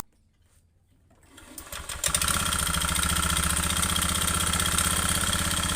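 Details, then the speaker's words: Honda Beat FI scooter, oil changes often late, at idle and revved: harsh, rough metallic ticking knock about four per second, fan cover also loose; piston slap, piston to be replaced. "dari sini bisa dianalisa satu persatu nantinya suaranya kasar ngetek seperti ini"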